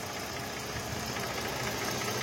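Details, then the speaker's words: Mercedes-Benz AMG with 6-cylinder V6 engine (663), complaint of misfire and no pickup: rough, uneven, shaky stumbling idle; coil check found one bank's three coils dead, nearly all coils bad, all to be replaced. "তো friends আমরা check করে দেখলাম যে coil খারাপ আছে এটার তিনটা একটা হেডের পুরা কাজ করতেছে না সবগুলা কয়েল প্রায় খারাপ সবগুলোই চেঞ্জ করতে হবে এখানে"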